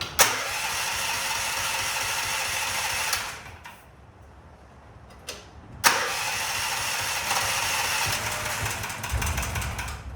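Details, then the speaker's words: Predator 420 single-cylinder engine, about a year old, which backfired and popped on cranking, after valve lash adjustment: starts, runs briefly, stops, restarts with rough, clattery, uneven beat; still abnormal, top-end cause unclear. "Not what it's supposed to sound like, so it doesn't sound good."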